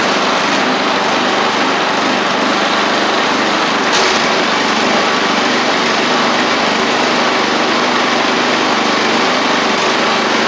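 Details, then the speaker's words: Murray 24-inch riding mower (Briggs engine, 875 carburetor) revived from water in fuel and rust in engine, battery reinstalled, motor treatment in tank, running with no load: steady, even single-cylinder drone with only a tiny surge; normal running. "got the battery back in it and hopefully I mean it's still running good and you hear a tiny surge but remember this doesn't have any load on it right now"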